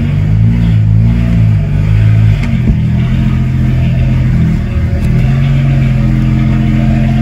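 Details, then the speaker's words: BMW 335is after swap to a replacement N54 engine, running on old bad fuel after clearing a cylinder six misfire code: steady, smooth low idle with no stumble; idle is good but it would stall if driven. "so idle is good but you can't really drive on it because it's going to go ahead and like stall out and it's not good for the engine"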